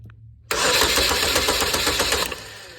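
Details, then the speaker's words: 2015 GMC Terrain 2.4 Ecotec with codes P0016, P0089 and P228D and limp mode; low oil made the timing chain jump and stretch. Cranked via a push-button starter: fast, uneven rattle of a very slack chain slapping; a new timing chain kit fixed it. "that's a lot of slack in that chain it should not have that much slack I can take and uh damn near pull this chain all the way off the sprocket cuz it is super loose it's slapping around and you can actually hear it when I crank"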